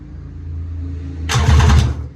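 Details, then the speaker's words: Homemade mini jet boat engine, first crank after a reversed battery blew the fuse, on a temporary starter button and kill switch: low hum, then a short rough burst of cranking that spins freely; the jet pump isn't bound up. "Well, I'm glad to see that the pump isn't like bound up or something. Wow. That's the first time this thing's ever made any kind of noise."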